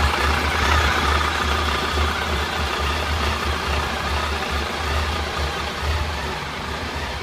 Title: Bruit moteur PAN